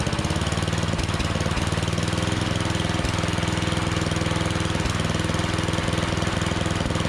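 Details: Troy-Bilt snowblower, never maintained, after quick tune-up with cleaned plug, new carburetor gasket and used replacement electric starter: small single-cylinder engine runs steady and even at a fast, regular beat, no misses or surging; sounds healthy.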